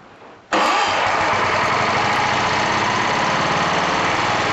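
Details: Old BSA 220 stationary engine from an estate sale, with its carburetor in good condition for its age, fires on the first pull and settles into a quick, even beat with no misses or knocks; healthy running engine.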